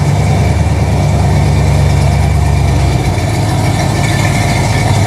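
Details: Chevy 350 V8 with TH350 after a refresh and distributor reinstall, with the fan not firmly mounted. Deep, steady idle burble with even firing and no knocks or ticks; the engine sounds healthy and settled.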